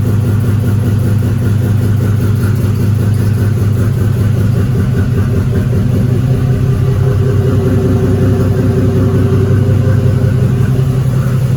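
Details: Buick Grand National started after a drive: deep, low idle with a slightly uneven, lumpy beat around two pulses a second; running a little rough, expected to improve after new turbo, return/drain lines and valve cover install.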